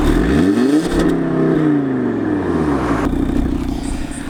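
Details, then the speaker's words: Audi RS3 2.5 L five-cylinder revving properly: strong, clean revs climbing and falling smoothly through the range with an even warble, no knocks or rattles; healthy engine. "for a 2.5 L 5 cylinder engine that's pretty stoning good right now have more driving"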